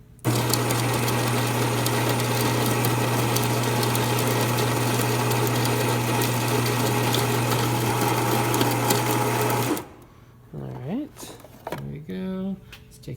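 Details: Baratza Virtuoso grinder after replacing a cracked upper burr carrier that would not hold the fine setting: steady, smooth motor hum with a low drone that stops cleanly; normal fine espresso grinding.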